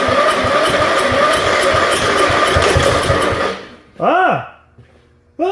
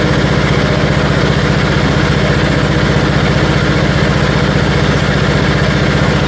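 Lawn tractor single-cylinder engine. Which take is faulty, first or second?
second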